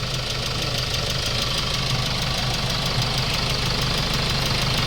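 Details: Hyundai Starex D4CB diesel, replacement engine fitted after blow-by: even idle with a steady regular clatter, no smoke from the breather; healthy.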